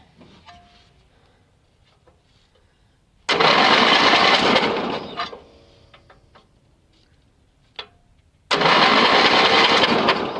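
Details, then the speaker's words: Yardman (MTD) riding mower with booster connected, spark plug grounded out for testing: two cranking bursts of about two seconds each, the engine turns but never catches; no spark seen. "I don't see spark. Try that. I still don't see spark."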